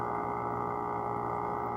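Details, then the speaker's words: AC compressor making a loud, steady high-pitched hum at one pitch, radiating through the wall, just before it shuts off; coolant pipe goes warm and the unit would stop working if left on; cause unknown. "so it's loud i don't know if you can hear it it's making a high pitch hum sound"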